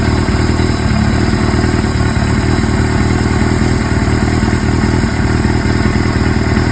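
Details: Suzuki GS-series four-cylinder motorcycle (GS750/GS550/GS1000, CVK carburetors), follow-up on an engine noise: steady idle with a faint, irregular clatter over the exhaust beat; engine noise at idle, source not pinned down.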